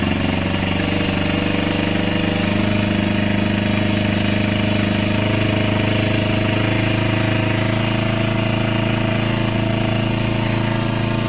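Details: Multi-cylinder motorcycle after a second carburetor cleaning with a home-made cleaner (cables not yet fitted; it previously died on quick throttle): steady, even idle with a smooth low burble, no stumbling or dying; normal idle.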